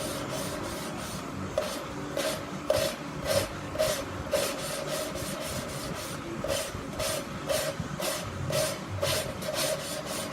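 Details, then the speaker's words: SB2-2 racing engine cylinder head, lapping a valve into its seat with lapping compound and a suction tool: rhythmic gritty rasping strokes about twice a second; the grit means the seat isn't lapped in yet, and it turns smooth once fully lapped. "You hear it all gritty, and then it gets real smooth. Get a little more in there, pick it up and down. Once it's real smooth, you know you got it all in th"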